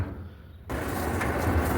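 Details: Whirlpool gas clothes dryer after repair with belt refitted: quiet start, then the drum builds to a steady even rumble with no squeal or thumping; one drum fin still missing, runs normally.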